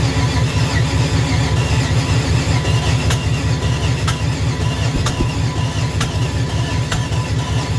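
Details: Junkyard small-block Chevy 350 on an engine stand after years in storage, running on open headers, oil cooler adapter leaking: loud, lumpy V8 burble with steady firing beat, crisp pops and flames; runs strong and even.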